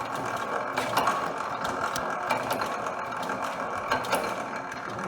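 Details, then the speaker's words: Rare Hercules 12 HP hit-and-miss engine, fired on the first try: loud single firing thumps at uneven gaps, coasting between them, the normal hit-and-miss rhythm of a healthy engine. "well we lucked out she fired right up on the first time seemed to be running good"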